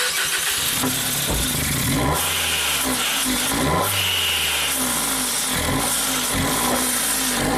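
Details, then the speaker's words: 2017 Ford Focus after owner's used DSG and new dual clutch swap, air pipe removed and MAF sensor unplugged, no fault codes stored: rough running with irregular sharp pops about once a second, suspected backfiring into intake manifold; timing untouched, vacuum leak check planned. "You would think it might be a timing problem, but nothing was touched with the timing. It sounds like it's backfiring into the intake manifold."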